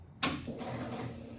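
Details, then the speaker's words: Aftermarket Ace's Killshot EFI install at key-on, after correcting a fuel return line routed to the inlet: a click, then a faint steady whir as the fuel pump primes normally and shuts off. "um go ahead and kick it on pump just kicked on it's running just kicked off"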